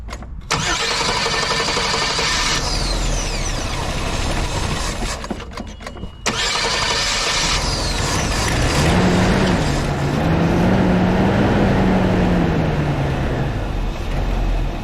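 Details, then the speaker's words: 1984 Jeep after wiring repairs: the starter cranks, it catches quickly and revs smoothly with no misses. Battery reads 12.4 V before start, 13.8 V at idle and over 14 V when revved, so the alternator is charging. Normal start and rev. "So we're at 13.8 when I rev it up it's over 14 volts. It is charging."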